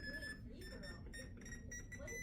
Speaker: it started doing this noise it's been like trying to do something for a while but not this noise before so I think it's trying to tell the world something but I don't know what this is